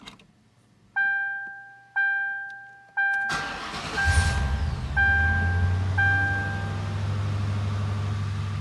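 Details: Ford 4.6L V8 after new spark plugs, ignition coils and fuel filter, previously hesitating: three chimes, short crank, fires immediately and settles into a steady, even idle; hesitation later gone on test drive. Normal start.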